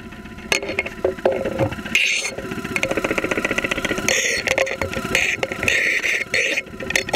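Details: 2001 Saturn SL2 at idle, heard through a stethoscope microphone, after being run with very low oil; not run for two months, oil pressure about 35-40 psi at idle. Rapid, sharp metallic knocking; bottom-end knock suspected, not confirmed.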